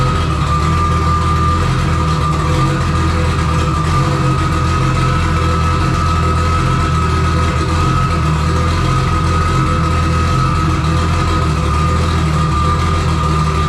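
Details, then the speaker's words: Engine at first startup after a build, with the full exhaust system and silencer fitted; it holds a fast idle with a lumpy, uneven low beat under a steady whine. A wrong trigger setup caused rough running from flooded cylinders, fixed by running on the crank sensor only. "I had some issue with some trigger setup going wrong uh it was not running right"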